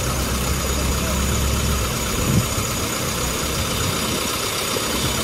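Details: Even, steady low idle rumble with no skips or uneven beats. All cylinders fire cleanly; normal idle.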